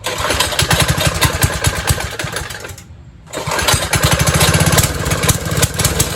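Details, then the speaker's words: 1970s trike, believed MTD Mud Bug, with replacement John Deere ~5 hp engine, not run in 5-10 years, carb leaking: fast busy firing that dips then races back, never settling; idle screw cranked all the way in. "You know, it looks like somebody took the idle screw and just cranked it all the way as far as they could."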